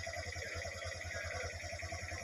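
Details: Honda Wave 125i after replacing worn chain tensioner/guides that caused noise: small single-cylinder idling with even low pulse, no chain rattle or ticking; normal quiet idle.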